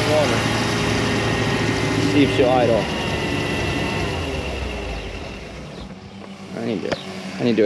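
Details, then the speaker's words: Newly built 350 Chevy V8, first start in a 1991 Malibu Competition ski boat on the water. The idle is uneven, loping about three times a second; it is running rich and the carb idle needs adjusting. "to adjust your idle it sounds like give me one second all right she's rich he's rich and I need to go Runner adjust the carb"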